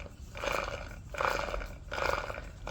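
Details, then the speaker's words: Replacing transfer case on Mercedes GL450 (X164, also fits ML350 W164, 2006-2012): removed old transfer case turned by hand makes rough gritty grinding bursts ("crrr, crrr") versus the smooth used replacement; internal failure suspected. "you can hear visibly this thing is making a lot of noise."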